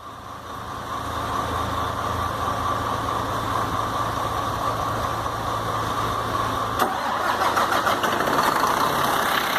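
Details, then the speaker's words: Iveco 480 diesel truck brought in for engine noise, with knocking at the rear of the engine: it catches instantly on the first crank and settles into a steady, even diesel idle with no knocks or misses. "Ei, menino, vamos ver? Pegou na hora, ó. Rapaz. Hã? Rapaz, como que pode? Primeira partida."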